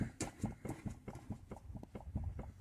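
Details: Citroen Picasso on jack with wheel shaken side to side: dull clunks about four a second in time with the rocking from free play in a worn ball joint, which needs replacing.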